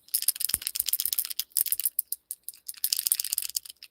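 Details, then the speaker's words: 60 kg DS5160 SSG digital throttle/brake servo removed from a 30DNT 5th-scale RC truck with a 2-stroke engine, shaken by hand: loose, irregular light rattle of something small loose inside the case; unexpected, cause unknown. "There's something rattling around in that, so that's unexpected."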